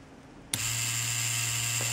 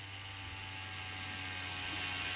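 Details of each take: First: Cheyenne Thunder tattoo machine at maximum stroke on repairer's test cable at 9 V, bypassing original adapter: sharp switch-on then steady even hum with fine high whine, no stutter; runs much livelier than on original cables at 10 V. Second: Cheyenne Thunder rotary tattoo machine at maximum stroke on original cable/adapter: thin high whir of small motor, steady, slightly rising; at 9 V it fails to start, current rises, only starts at 10 V; motor or board first suspected, but adapter voltage drop is the cause.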